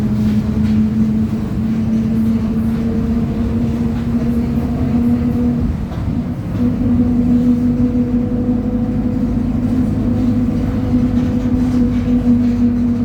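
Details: 2007 Torino bus, Mercedes-Benz OF 1722M chassis, driving at high revs: steady mid-pitched whine over loud diesel drone, dipping partway; suspected rear differential gear whine, not confirmed.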